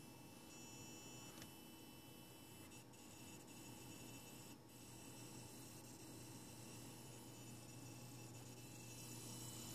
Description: This is already my 3rd xbox one, all have been returned and swapped out at the store, now this one makes a fairly loud noise while off and can do this for hours..it's very annoying.